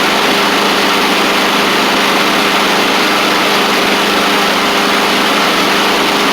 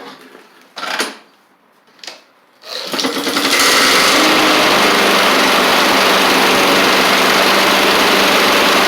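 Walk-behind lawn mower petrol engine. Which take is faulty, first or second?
second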